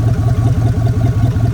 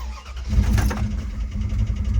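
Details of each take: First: 1999 Dodge Dakota R/T V8 that sat in a backyard, run without fresh oil: deep idle with even pulsing beat, about five pulses a second, no knocks or rattles; normal idle. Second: Dodge Durango at 313,000 miles: engine catches and runs with an uneven, lumpy low rumble and irregular pulsing through the revs; a badly failing engine.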